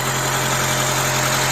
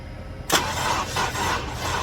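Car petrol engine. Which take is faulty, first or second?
second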